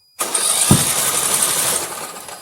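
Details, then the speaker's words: Poulan riding mower with a dead solenoid, cranked by jumping directly to the starter: the starter whirs with no compression pulses, then one sharp pop back through the intake. The intake valve is not closing, from a stripped rocker stud; head issues were suspected beforehand. "You hear that backfire? I smell it. No compression."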